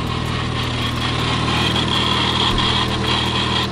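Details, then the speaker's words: Supercharged Lamborghini with a check engine light at steady idle: a dry metallic rattle louder than the engine, plus a faint whine, as a stethoscope is used to find which pulley is making it. "Well, that rattling noise, by the way, I don't know if you can hear it. It's literally I can step back here. It's louder than the car."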